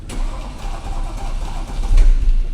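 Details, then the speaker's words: Porsche Panamera with Mansory kit and engine fault, restarted after battery charge: rough uneven metallic grinding with starter churning, harsher bursts near the end; serious internal fault, not a cheap gasket, cause unconfirmed. "Ah ou c'est quoi ce bruit de fou ? Ça fait des sales bruits, hein."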